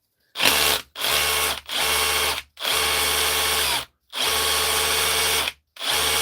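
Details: DeWalt DCH273 SDS drill, brought in for not hammering, tested after repair: short bursts of loud, hard, rapid rattling chatter under the motor whine, stopping cleanly between triggers; hammer mechanism now working.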